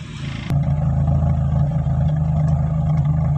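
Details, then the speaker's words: Carbureted Toyota Corolla 16-valve that stalls when the clutch is released pulling away: engine popping from the exhaust and front with a low, lumpy, uneven idle, because idle rpm is set too low and the fuel mixture is off. "untuk suaranya agak sedikit eh nembak-nembak ya ini dikarenakan karena rpm nya terlalu rendah kemudian percampuran bakal bahan-bahannya kurang normal kurang normal ya temen ya"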